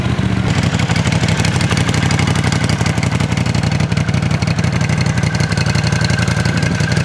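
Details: 1979 Honda CX500 twin after restoration (sat 5 years, carburetors rebuilt, new water pump): catches and holds an even low chuffing idle at a steady beat, a little clattery on top but running cleanly; normal idle.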